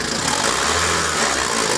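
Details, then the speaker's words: JAC J6 2.0 16V at about 84,000 km, revving; rough gritty whirring loudest at the timing belt, which visibly jumps; timing belt tensioner bearing suspected worn, belt likely never replaced, timing belt kit replacement recommended. "ó a região barulho bem chato você está ouvindo vídeo aí mas é bem chata e aparenta estou aqui na correia dentada tá provavelmente os rolamentos aí já foram"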